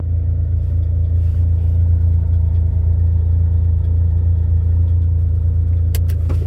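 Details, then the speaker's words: Autozam AZ-1 (Suzuki Cara) at about 60°F, oil pressure light slow to clear: quiet at high idle, but put in reverse the idle drops and a tinny metallic rattle appears; owner suspects a heat shield, unconfirmed: metallic rattle at idle. "I'm gonna put it in gear here, and it'll drop the idle because I'm gonna reverse and listen for like a metal kind of sounds like a rattling heat shield."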